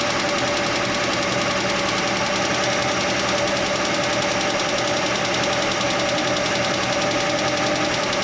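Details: Chevy Nova straight-six idling with the valve cover off: uneven metallic clatter ticking through the idle; stethoscope on each rocker stud found one ticking, and tightening that loose rocker arm while running quieted it.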